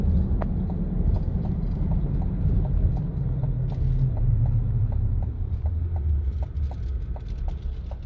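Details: 2023 Chevy Colorado Trail Boss on brand-new 33-inch mud-terrain tires, night drive: low steady droning rumble with light regular ticking; normal new-tire hum expected to ease with break-in.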